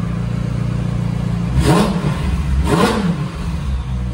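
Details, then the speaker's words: McLaren 720S twin-turbo after cracked turbo manifold repair, refilled with oil and coolant and partly warmed: two quick blips with turbo whoosh on each rev; exhaust leak and loud ticking now gone, sounds healthy. "Oh yeah, you can hear those turbos pretty good."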